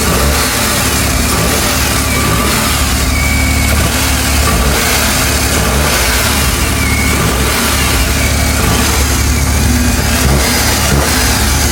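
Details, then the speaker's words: 2022-on Suzuki DA17 minivan three-cylinder engine with intake and exhaust VVT: steady even idle hum, no knocking or ticking, unlike older single-VVT R06A engine's slight knock. Normal running. "pakinggan ninyong mabuti mga boss kung gaano kaganda yung sound. Dahil para sa akin, na-eliminate na talaga yung medyo knocking sound konti."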